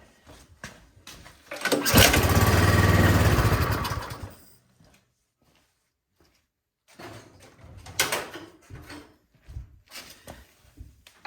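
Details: Troy-Bilt snowblower that won't start, pulled with starting fluid sprayed in: a couple of seconds of rough firing, then it dies; fuel not getting through, sludge found in the fuel line, clogged carburetor main jet.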